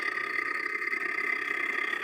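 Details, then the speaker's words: Continental refrigerator, noise after heavy meat load, defrost heater previously not working: constant high whirring with rough fluttering scrape as built-up ice forces and catches the evaporator fan blade; fix is defrosting. "o gelo tá forçando e prendendo a ventoinha E aí ó tá vendo esse barulho Tá vendo é o gelo tá forçando e prendendo E aí ela tá fazendo Esse barulho tá encostando a ventoinha entendeu"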